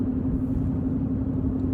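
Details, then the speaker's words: Chevy Cruze driven at 53 mph after replacing a badly roaring front wheel bearing. Even road rumble with a faint steady hum and no growl; much quieter than before, though there may still be slight rear wheel bearing noise. "now that I've replaced it I hope you guys can hear the difference if the audio is good enough at 53 miles an hour there is a much very noticeable difference in the noise"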